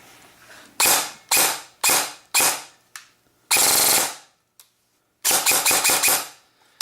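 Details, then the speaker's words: Electric airsoft gun firing semi and full-auto bursts with a sharp, shrill shriek. A gearbox gear/bushing is not centered, and a lowered motor height has made the shriek more pronounced; mosfet, wires and grip stay cool. "one of the bushings and the gear that's in there is not completely centered so as it rotates it makes this noise"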